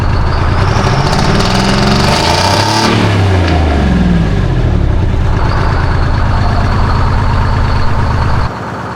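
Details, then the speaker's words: Detroit Diesel 6V71 after injector reinstalled: blips up and drops to steady idle with deep, solid exhaust note, no leak puffing; blowby still not improved. "Well, our blowby situation is definitely not improved, but our exhaust is greatly improved."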